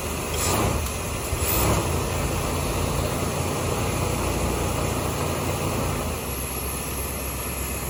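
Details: 1989 GMC Suburban V1500 4x4, sat on a ranch since 2006; an injector may still be leaking. Low, steady idle rumble holds even for several seconds over outdoor background noise, with no stumbling. Normal idle.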